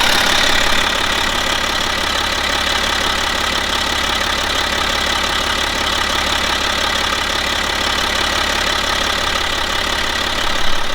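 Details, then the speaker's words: 2011 BMW X5 xDrive 35d, M57N2 diesel, about 130k miles, after lower timing chain failure repair, warming to 40 degrees; steady, even idle with light regular clatter, no knocking or rattles; normal idle. "But for now everything seems fine and the engine sounds healthy, as I like to say."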